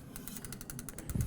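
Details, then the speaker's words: Huffy Scout 26-inch men's mountain bike, lifted rear wheel spun forward by hand. A light rhythmic swishing scrape about seven times a second as the rear disc brake rotor rubs the pads. "I'm going to start at the back and just spin it forward. You can hear some brake contact there, so we don't want that."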